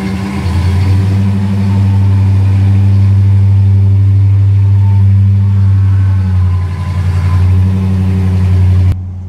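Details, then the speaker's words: 1964 Ford Galaxie 500 XL, original engine reinstalled, rebuilt carburetor and fresh fuel, exhaust just made quieter, idling on the lift before warm-up; deep smooth steady V8 burble with one gentle dip, no knocks or misses; healthy quiet idle. "sounds good to me now we got it nice and quiet we got it running on its own"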